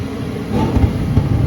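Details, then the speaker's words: 30-year-old (1992) Carrier propane furnace that had trouble igniting, after repair: board clicks, then a soft rumble swells into a steady roar as the burners light, no pops or bangs; propane burners sound more aggressive. "there it is this system's a propane system the burners are going to be a little bit more aggressive it's working"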